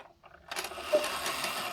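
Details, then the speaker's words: Antique cuckoo clock in case after repair, door not fitted: mechanism clatter with only one short whistle note instead of two-note call; right-side bellows lifts a bit but not fully, to be bent up to fix. "But it is the right side bellow that is lifted a bit up, but not completely. So I'm going to have to bend that a little bit up"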